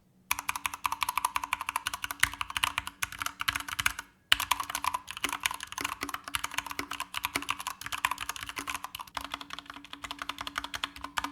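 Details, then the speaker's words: Corsair K65 RGB Mini 60% keyboard with linear MX Speed switches: fast typing gives sharp, bright clacks. It is fairly loud whether or not keys bottom out, and there is some pinging when bottoming hard. "and that's kind of an issue also it's fairly loud regardless if you bottom out or not take a listen"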